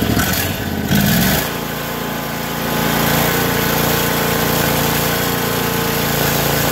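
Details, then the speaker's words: Briggs & Stratton overhead-valve V-twin on a garage-kept 450-hour tractor, cranking and running. Exhaust is pushing out where it shouldn't and oil is leaking, and the beat is faintly lopsided with one cylinder weaker. Diagnosed as a leaking head gasket. "you can see it's pushing exhaust as I crank it over right out of here and that's just not normal"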